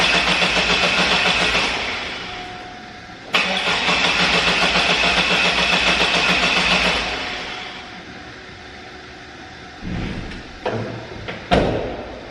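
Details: 2002 Chevy S10 Xtreme with 4.3 Vortec V6, first start after installing a cold air intake and throttle body spacer: it cranks briefly, catches and settles into a steady, even idle with a couple of light blips, running clean and healthy.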